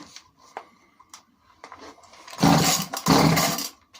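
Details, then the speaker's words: Alpina/Alko Champion 38cc chainsaw that would only run with fuel down the carb, after new tank fuel pipes, carb clean-out and high/low screws set 1¼ turns out: catches and revs in two short bursts, then drops back cleanly; normal start and rev. "sounds all right there we go all right so back and running again which is great"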